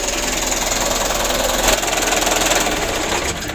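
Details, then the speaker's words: Mitsubishi Canter 125 (2008) diesel idling after adjustment for shaking, long cranking and low power: a rapid, fairly even clatter at steady idle with no misfire or hunting. "Hai debrur untuk penyetelannya sutelo ini sudah sama-sama kita lihat ya alhamdulillah untuk hasilnya seperti ini Lur"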